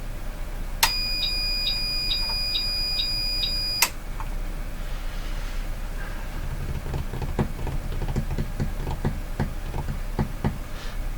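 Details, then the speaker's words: 1946 Buick Sonomatic car radio powered from a bench supply with the voltage set at the bottom: about six quick high beeps then faint clicks; supply's overload indicator tripped though the meter showed almost no current draw. "that sounded like the overload indicator uh but the current draw according to the meter was nothing"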